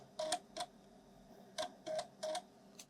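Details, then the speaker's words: Broken Amiga external 3.5" floppy drive on test: irregular bursts of short ticks and buzzy grunts as the head moves, unevenly spaced; the drive mechanism sounds abnormal, cause unknown, though it then reads a cover disk. "don't know if you can hear that it doesn't sound normal"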